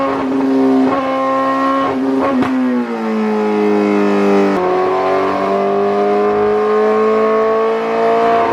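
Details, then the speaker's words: 2008 Suzuki GSX-R1000, previously ECU-flashed elsewhere, warmed-up baseline dyno pull: pulls hard under load, then revs sag and climb back slowly and unevenly. Sounds wrong; fueling issue. "all right guys so we did just Baseline the jiger and as you guys could tell by that audio it doesn't sound right"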